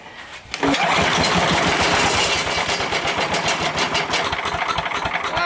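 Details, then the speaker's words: 30-plus-year-old Sears Craftsman 9HP chipper/shredder single-cylinder, started on full choke at about three-quarter throttle: fires on first pull and settles into steady, busy run with no misses; sounds healthy. "there you go we get it all off that sounded really healthy to me"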